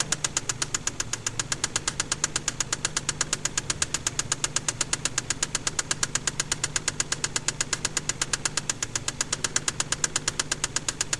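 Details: KLZE V6 at quiet idle: sharp, evenly spaced metallic knocks about three per second; rod knock from spun crankshaft bearings on cylinder No. 6.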